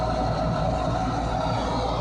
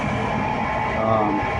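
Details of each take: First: Furnace draft inducer motor after replacing the old one, which squealed and wouldn't start despite a new capacitor: steady even hum, constant low drone, no rattles or scraping; new motor running smoothly. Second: Furnace draft inducer motor gives a steady high squeal over its hum and sometimes fails to start. A replacement capacitor helped only briefly, so the failing motor itself is being replaced.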